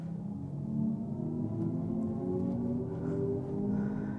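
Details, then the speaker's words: 2024 Hyundai Ioniq 6 Limited, dual-motor EV, at crawling speed: soft synthetic humming tones shift gently in pitch. This is the pedestrian warning speaker, not the motor or batteries, and it gets quieter as speed rises. "So as you're in slow speeds, you can hear that whine. That is not the engine. That is not the batteries doing anything. That's just a speaker making a noise that gets progressively quieter as you get up to speed."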